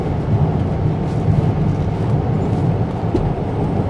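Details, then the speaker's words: BMW xDrive35d diesel cruising at about 65 mph on cruise control, in-cabin: low steady road and engine rumble, perfectly quiet, no whine, knock or clunk; check engine light on, cause unknown. "perfectly quiet this this thing is nice guys oh my goodness"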